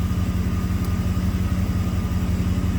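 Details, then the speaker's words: 1990 Camaro with 5.0 Tuned Port Injection V8, 29,000 km, that had a random misfire; idling while fuel trims are checked; low, even burble with no skipped pulses; a smooth, healthy idle. "the system varies the spark timing to stabilize the idle car seems to be running nice and smooth"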